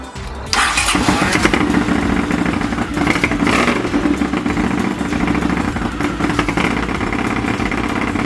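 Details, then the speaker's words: Honda CX500 café racer twin during carb colortuning: it fires up into a lumpy, uneven idle with skipped firings. Cylinder two doesn't ignite as often as it should, an intermittent misfire; the owner notes a known CX500 issue of cylinder two kicking in late. "okay so that was interesting number cylinder number two is that off before I take out cylinder number two doesn't seem to ignite as often as what it should"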